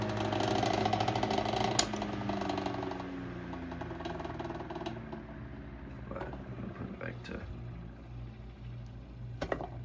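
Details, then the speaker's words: 1935–40 Westinghouse Pacemaker 10-inch desk fan coasting down: hum drops with an uneven light rattle about three times a second. Blade is slightly out of alignment; rattle source unknown, bearings good. "You can see it glides down. It's really weird, but it it runs really good besides the rattling."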